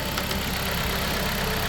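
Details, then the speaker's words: 2018 Dodge Journey 2.4L petrol engine idling after alternator replacement, mic placed close to the engine, charging 14.6–14.7 V; steady, even idle with no knocks, whine or rattles, sounds way better; normal idle. "Sounds way better."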